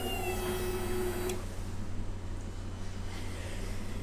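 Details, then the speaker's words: Yamaha R1 race bike after rebuild, a couple of litres of fuel added: short steady electric hum of about 1.5 seconds at power-on, then stops; fuel pump priming normally before first start. "Right, so when we put the power on, we should hear the pump prime. Yep. I'm not crapping my pants at all, Dav. Should hear the pump prime. There we go."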